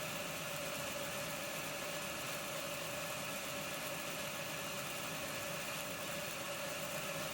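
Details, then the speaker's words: Accurascale Deltic model locomotive at 25% speed, current fluctuating up to 0.7, fault persists after decoder swap: thin, buzzy motor whine under rough hiss, uneven rather than a clean hum; motor running erratically, to be removed and tested alone. "that motor is all over the place so my next job sounds awful"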